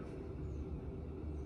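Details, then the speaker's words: Home boiler heating system after bleeding air from radiators, run up to temperature: steady, even low hum with no gurgling or rushing water; system full and running normally. "Old girl is sounding a lot healthier because we bled all the air."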